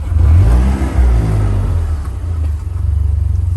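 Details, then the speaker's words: Overheating Vanderhall; when hot, the gauges stop working and giving it gas brings only a deep rumble that barely picks up, then sags and pulses; a clicking comes from under the hood near the power control module; owner suspects something is not firing correctly. "There's a clicking sound right underneath. You can hear it from this angle."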